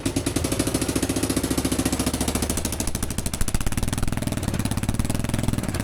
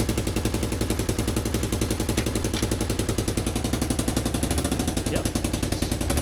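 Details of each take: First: 30-year-old Kawasaki KLF300 4x4 quad bike, engine started straight away after restoration: loud, raspy idle with sharp popping pulses at each firing stroke from a hole in the exhaust pipe; exhaust leak, to be patched. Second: Roughly 30-year-old Kawasaki KLF300 4x4 quad: starts straight away, loud choppy exhaust beat stays even through the shifts with no knocks or misses; engine healthy, loud from a hole in the exhaust.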